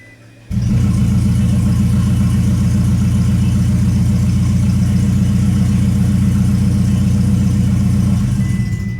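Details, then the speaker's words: 2008 Toyota Prius with an in-car rebuilt engine, cranked with injectors unplugged to circulate oil at low rpm: a loud, rough chuffing at cranking speed with no firing, because the exhaust was left disconnected. "So that did two things for us. One, it just spun the engine over, and then two, let us know that we forgot to hook our exhaust back up. So that was kind of loud."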